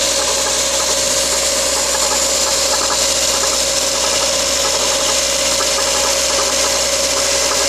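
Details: Mazda Protege at a steady idle with a fast, light ticking knock on top and a constant whine behind it; engine knocking, source undetermined.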